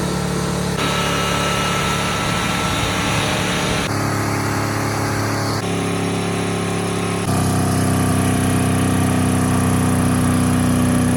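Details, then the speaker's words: 1979 Ford truck V8 with a severed spark plug wire, running on seven cylinders held at full throttle, coolant spraying. Lumpy, uneven beat instead of a clean roar. Misfire from the dead cylinder. "I was just telling Clayton looking back I could do this to all my trucks all that happened was a severed spark plug wire what's the worst that could happen you know"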